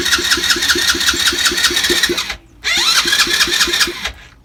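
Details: 50cc Chinese ATV with new plug, HT lead, stator, battery, piston kit, cleaned carb, fresh fuel and strong spark: even starter cranking at about four pulses a second with no firing before it stops; cranks but won't start.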